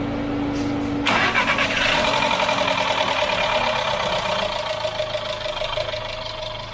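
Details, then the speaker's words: VW Golf 6 1.4 TSI (CAXA) first start after timing chain replacement, engine cold: cranks, catches in a second and settles to a smooth, even idle with no chain rattle; remaining noise is from the fuel pump while cold; healthy start. "zincir işlemleri bittikten sonra ilk çalıştırması bu şekilde fark ediyorsanız iyi dinleyin zincir sesi hiç yok gelen ses Şuradaki benzin pompasından araç soğuk old"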